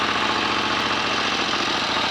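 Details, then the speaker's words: 1930 Royal Enfield 1000cc Model K twin, kickstarted to check charging and lights: even, steady idle with a light, regular mechanical patter and no knocks or misses; fully functional. "oh that's all working nicely what a beautiful old engine listen to that a better fast swipe with a kickstart would speed that engine up lovely old machine now fully functional with lights and everything very nice"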